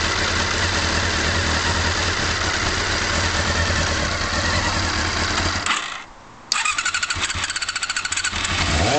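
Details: Honda CB-1 motorcycle engine started after standing cold for a few hours: it cuts out briefly, then restarts and idles unevenly with a light, quick ticking of about four a second, likely tappet noise. It pulls smoothly through the revs.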